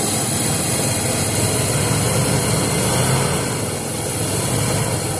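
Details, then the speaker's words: 1978 Ford with 351 Windsor and RV cam, phone-recorded: steady wup-wup at idle matching rpm, steady vacuum, strong off idle, not the donut gasket, compression untested; suspects power steering pump or a dead cylinder. Rhythmic pulsing at idle. "Honestly, it sounds like it might be coming from the power steering pump, but it's in sync with the RPMs, like a dead cylinder."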